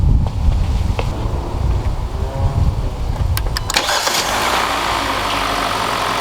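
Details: 2014-2016 Hyundai Elantra (non-turbo) just after starter replacement: a few seconds of cranking, then the engine catches cleanly and settles into a steady, even idle; normal start and idle.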